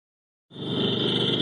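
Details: GT 5.0 (2011) at idle, recorded amplified by a technician with microphones on each bank and switching between them: an even quick ticking knock with a sharp high ring; owner suspects piston slap, heard on his own car when cold.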